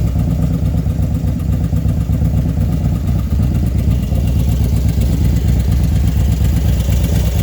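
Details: Single-cylinder engine hot at idle, after a 110 big-bore kit install: faint uneven tick in the thump, from the top end, only when hot; cause unknown.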